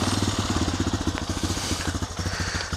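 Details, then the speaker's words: 2002 Honda TRX250EX quad, sat outside 10 years, after work and reassembly: quick even single-cylinder putter about fifteen beats a second with no misses; idle sounds steady, healthy and better than before. "sounds a little better than it did before"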